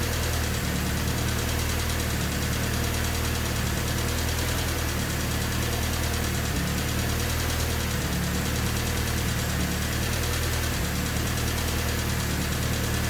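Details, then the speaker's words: Honda Civic D16Y8 engine right after valve lash adjustment to spec, not fully warmed: steady low idle with a fast, even ticking that never fades, still loud after the adjustment; engine ticking at idle, possibly injectors, idle still hunting. "That was the sound of the engine after I've adjusted the valves. So they're all adjusted to spec now. Not really sure if it sounds that much different. I mean, it's still ticking quite loud."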